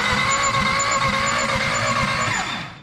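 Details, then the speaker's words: Car undergoing an engine swap, ECM and wiring done but coolant and fuel lines not yet run: steady rhythmic starter cranking, engine turns over but never fires; cranks but won't start. "And it's just about ready to start. Really? It actually will turn over right now."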